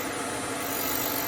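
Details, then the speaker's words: Hope Woodturning MK2 wood threading jig with router cutter at 3000 rpm, cutting a thread in beech with a slow feed over five turns, three clicks depth: steady high router whine and even cutting hiss, no chatter or bogging; normal thread cutting. "je bloque le système et je mets en route à 3000 tours et on y va doucement"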